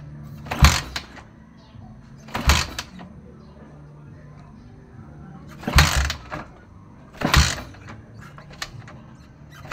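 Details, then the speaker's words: Honda TMX155 with spark present and a new spark plug: four kick-starts churn briefly but never fire; water in the carburetor, found after checking the CDI. "So yun pala ang pinaka naging problema nito dito sa karburador matubig yung karburador"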